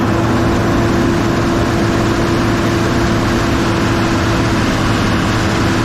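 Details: Kobelco SK250 excavator, believed 2006, diesel, after exhaust manifold replacement; deep steady drone at constant high revs with thin even turbo whistle heard in the cab, now making boost, revs more responsively; normal high idle.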